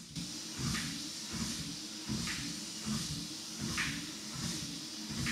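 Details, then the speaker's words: WalkingPad X218 folding treadmill during a run test up to 14 km/h. A light click about every 1.5 seconds over the whir as the running belt shifts right. Fixed by turning the rear right-side adjustment screw a quarter turn clockwise. "I did have an issue where the running belt shifted to the right and caused clicking sounds."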